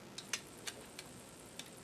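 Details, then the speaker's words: Amiga 500 Plus floppy drive (DF0), just repaired, worm gear not yet greased, loading SysInfo 4.4; crisp light irregular head-stepping clicks over a quiet hum, normal seek. "It's going to read all 79 tracks. It's the equivalent of formatting a disk."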